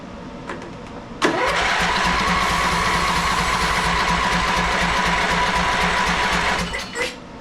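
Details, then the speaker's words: Ariens 42-inch riding mower, 20 hp Briggs V-twin revived after years of storage, new carburetor, battery on charger, no choke: starter turns engine evenly for about five seconds but it never fires; cranks but no start. "no she's not even hitting not Hitting off the juice"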